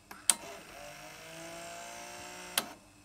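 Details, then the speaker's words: Sony PCM-2500A DAT recorder with PCM-2500B unit: transport clunks, thin steady motor whir, almost no reel drive, tape spills and stops; worn reel clutches suspected. "there's a tiny tiny bit of real drive but hardly any uh it sounds like the motors are spinning but probably it's got um worn out clutches"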